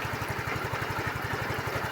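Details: Yamaha Mio i15 scooter brought in for a no-start with a blown fuse; ignition coil checked OK, battery being monitored for voltage drop. Even, quick putter at idle with no misses, knocks or stumbles; idling smoothly.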